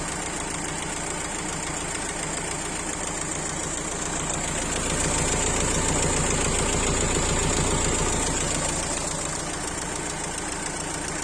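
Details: Renault Laguna 1.9 dCi diesel idling with regular clatter, swelling louder for a few seconds with an odd intake-side noise; engine is noisy when driving and shakes at idle when cold. Abnormal intake noise with rough idle, cause not confirmed.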